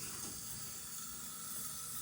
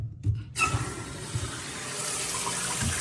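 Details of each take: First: As you can see, it's spraying water. That's the toilet fill valve. Yes, it's making noise and it's spraying water. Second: And you can see all the water coming down. No problem. No noise. No spraying water.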